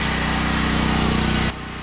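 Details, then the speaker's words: Truck that sat 9–10 months, being started in snowy March with its batteries on a charger powered by a generator; the charger connection was lost. It cranks with steady, even pulses at a sluggish pace, slower than 10 minutes earlier: slow cranking, cause not confirmed. "it's turning over slower now than it was 10 minutes ago"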